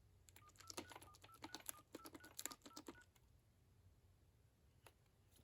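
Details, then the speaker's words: 1990 AT&T Trimline 210 thrift-store phone on its initial checkout, through a PBX line: short, crisp two-note beeps, one per button press, each clean and steady; all buttons working, normal DTMF keypad tones. "All the buttons seem to be working good."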